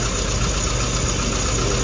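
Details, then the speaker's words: Engine, warm, after spark plug work on cylinder three, which wasn't firing: even, steady idle with a low regular beat and no stumble; smoother than the earlier lumpy running. "okay start out just crank it I'll do everything under it okay is that sound better yeah yeah smoother"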